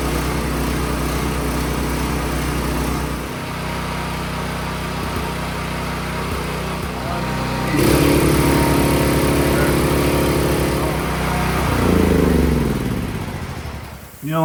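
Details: Champion 9000-watt generator, previously needing half choke to run or not starting, after carburetor cleaning, started with choke on: fires and settles into a steady, even beat, holding speed without surging.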